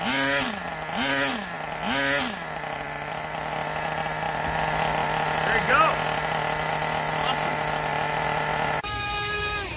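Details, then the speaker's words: Traxxas nitro RC truck engine, previously locked solid and unused a couple of years, freed by disassembly; small engine buzzes then settles to steady high-pitched idle, running freely; slight air leak on top to investigate; normal running. "well that's the first time this trucks been started from what it sounds like in a couple of years so she runs pretty good she's got a little bit of air leak on the top will will investigate that further"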